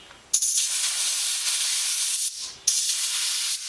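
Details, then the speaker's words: New air compressor at about 40 psi outlet pressure, tire chuck on the valve stem: two sharp bursts of loud hiss as air escapes where the chuck meets the valve; the compressor fails to inflate the tire. "the first thing you'll hear is going to be the the air coming out of the I think the compressor the the hose side cuz it triggers pretty easily wa that's probably the tire letting air out"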